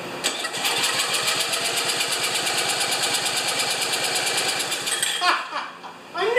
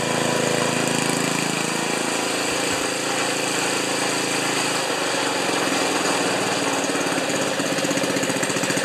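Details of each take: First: Ariens 2+2 snowblower engine, primed with gas and choke, just after head bolts refitted and wrong coil fitted: rapid even pull-over pulses for about five seconds with no firing; cranks but does not start. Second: Ariens 2+2 snowblower small single-cylinder engine, after ignition coil replaced with gap set because owner reported stalling after running a while: catches and holds steady buzzy fast idle, no misses; normal running.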